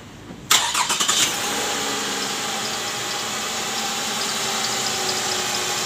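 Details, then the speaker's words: Toyota Camry 2GR 3.5 L V6 starting and idling, AC on: thin high chirp from the serpentine belt area, louder with AC on. Cause is a worn tensioner bearing and weak tensioner spring. Replacing the tensioner removed the noise. "Oke guys, jadi seperti ini bunyinya ya. Ini kalau AC on bunyinya lebih kencang, terdengar di area fan belt yang ikut dengan putaran fan belt ya."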